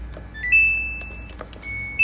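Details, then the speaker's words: Samsung washing machine that won't spin, dE door error during a restart after jumpering the door switch wiring: short, high-pitched repeating beeps, the door switch not registering as closed; door error (dE) beep. "jadi caranya cukup mudah sebenarnya Kalau De itu pasti door error teman-teman ya"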